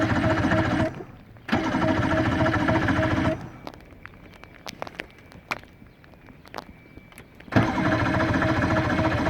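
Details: 115hp Johnson outboard that won't start, cause unknown; repeated bursts of steady starter whirring with light clicks between them, and the motor never catches.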